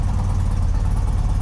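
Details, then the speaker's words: 35-year-old BMW boxer-twin motorcycle idling in neutral after preparation work; steady even thrum with no knocks or ticks, sounding better than before; normal idle. "好的，挂空挡，拉动启动绳，它运转了，乍一看，一切听起来都不错。说真的，听起来比以前好多了。"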